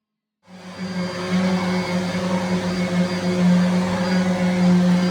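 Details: Henry HVR200 vacuum (from 2001) test-run after motor replacement, new bag and filter fitted: motor spins up at once to a steady, even hum with a constant low drone. Normal running.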